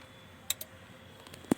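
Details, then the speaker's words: Yamaha RX-V475 AV amplifier, dead with red light, no sound and no HDMI: relay clicks as the unit powers on, then the 3.3 V DSP rail rises and drops and the supply shuts down, with a shorted DSP IC suspected. "3.3 बनने के बाद drop हो जाती है piece on हो जाता है relay की आवाज भी आपने सुनी होगी"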